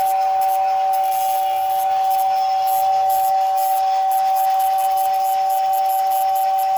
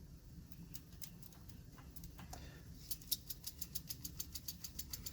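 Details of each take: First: 1956 American Flyer #569 Whistling Billboard after motor repair (lubricated, brush screws adjusted): a steady, breathy whistle holds one pitch for over twelve seconds with only a brief dip. The whistle is working properly. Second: 1956 American Flyer #569 Whistling Billboard accessory motor, likely unused for 40+ years, running live just after lubrication: low hum then about six even ticks per second. Sluggish motor, moving better than before but still slow; armature/field misalignment suspected.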